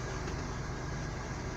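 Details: 1997 Buick LeSabre after a VATS security bypass with a resistor to fix a no-start, started with the old key: a smooth, even low idle hum with no misses, knocks or hesitation. Normal idle.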